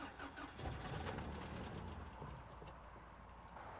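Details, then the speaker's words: 1993 Toyota pickup sat 10+ years, reportedly parked for a head gasket and/or timing chain, weak battery: after removing a screwdriver propping the airflow meter, it fires and runs unevenly for a few seconds, then dies. Cause not yet known. "fires up but it will not stay running"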